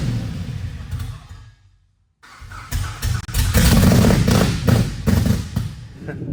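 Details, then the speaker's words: Cammed 5.7 Hemi Jeep Grand Cherokee after El Chapo cam install and new tune: starter spins the engine fast and light with little compression thump, free-spinning as if no plugs, no start; timing believed way off, plugs look somewhat fouled. "So it sounds like kind of like it's free spinning like there's no plugs in it. >> That's how you know it's not. >> The timing is way off."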